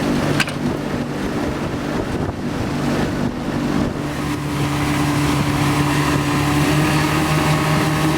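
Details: 115hp Mercury outboard on a Back Country 171 Pro Guide boat, just started after oversized, leaking fuel hoses were replaced with correctly sized ones. Holds a steady, even idle with a smooth low drone and no misses, knocks or hunting: a normal idle.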